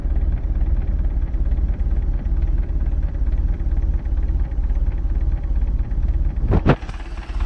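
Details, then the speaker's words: MerCruiser Alpha One Gen 1 3.0L 181 cid 140 hp boat engine after tune-up with new cap, rotor, points, condenser, plugs and wires; low, even idle with steady firing pulses, no stumbles, no leaks; normal idle. "Alright. It's got a good idle to it too. Nothing leaking."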